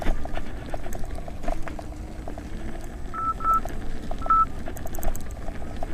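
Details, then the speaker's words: Nikola electric unicycle (84 V) hauling up Overheat Hill, starting at 40 degrees wheel temperature, with the alarm set at 90 amps: short high repeated beeps over road and wind noise; overcurrent warning beep. It later burned up with blown MOSFETs. "let's see how it goes listen for the amp alarms and now I'll read off the temperature"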